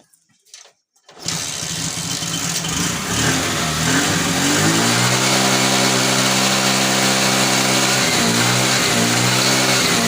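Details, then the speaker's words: TVS XL 100 first-model moped, single-cylinder, after replacing a regulator and CDI shorted by a failed magnet coil: catches at once after a brief crank, settles to a smooth, even idle; head gasket puffing stopped, starting problem fixed. "তো এখন দেখো tuning খুব সুন্দর আছে, গাড়ির সাউন্ডও ঠিক আছে, যেটা হেডগেট সিটে ফ্যাট করছিল সেটাও বন্ধ হয়ে গেছে এবং স্টার্টিং কোনো ট্রাভেল নাই, এর কি স্টার্ট হচ্ছে।"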